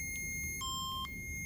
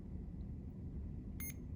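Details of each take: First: and it'll pop right out and also say that your cassette has popped out of the machine. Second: We're first gonna turn on the pump by holding the on-off button for 3 to 5 seconds. You'll hear 3 beeps.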